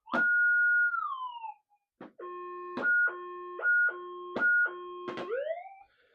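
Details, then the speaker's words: Minelab GPX-6000 metal detector with modified figure-8 coil over a known hot rock: tone swoops then steady on-off beep each pass; ferrite in the coil reacting to the hot rock, a false signal. "nothingless you go right round like that it'll make a noise but it's just riding there a little bit"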